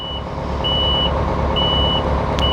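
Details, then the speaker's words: 250-ton crane during annual load-limit inspection, load lifted just above the ground: steady high beeps about once a second over a diesel rumble once the load moment limiter reaches 90%, before cutting movements at 100%. Overload warning beeps. "First, it will start beeping. Once it reaches 90%. You'll hear it in a moment."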